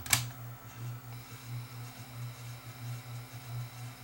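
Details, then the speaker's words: Retekess TR606 AM/FM cassette recorder rewinding a never-used tape. Low motor hum swells and dips unevenly, lumpy rhythm as if dragging; tape may be sticking, condition unknown, cause unconfirmed. "That might be the tape that's kind of sticking a bit there too. I have no idea what shape this tape is in."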